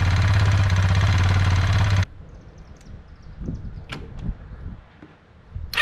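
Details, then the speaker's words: Kawasaki Bayou 220 ATV after wiring repair, fuel line clamp leaking: even, regular thumping single-cylinder idle holds steady a couple of seconds before shutoff; starts and idles cleanly. "Testing good, it starts, it runs, it'll sit there and idle, so that's a good sign."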